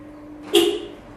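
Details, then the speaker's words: Toyota Avensis with newly fitted module: one short bright horn chirp as the remote locks the doors, normal lock confirmation. "Kilitlerken bir bup yaptı. Açarken bir bup yaptı. Gayet güzel bir uygulama oldu."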